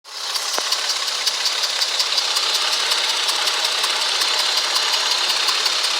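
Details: 2004 Ford Freestar idling: light regular ticking, about three a second, over a hissy run; idles a little rough, no codes, drives fine; plugs, wires, coil and fuel filter already replaced.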